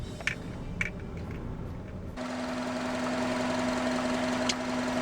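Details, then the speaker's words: Honda Odyssey RB1, over 386,000 km, after resealing power steering pump fitting o-ring with tape and lubricating with power steering fluid: engine catches and settles into even hum, no steering pump whine; whining all gone. "let's see if it has made any difference immediately less noise The Whining is all gone"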